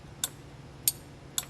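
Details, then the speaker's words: 1969–1976 Corvette wiper motor with the yellow wire disconnected: three sharp relay clicks with no motor hum, since the relay still gets power and switch ground but the motor does not run. "so even with the yellow wire off the relay is engaging so the yellow wire broke at the motor you know it's still got power going to the relay it's still making ground from the switch so the relay's clicking"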